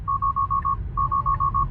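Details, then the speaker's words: Tesla Model 3 Long Range RWD on FSD, run to zero charge: rapid high beeps in two groups of five, about seven a second, over cabin hum with "Pull over safely, vehicle shutting down"; low-battery shutdown warning chime before losing power. "Pull over safely, vehicle shutting down."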